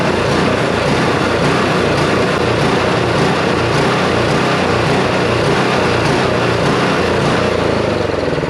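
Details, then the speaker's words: Neglected snow blower engine, with only fluid poured down the intake and a cleaned spark plug: it runs but rises and sags unevenly, a surging idle. "well she runs that's a beautiful thing but uh she's searching like a bloodhound so i gotta get that call obviously"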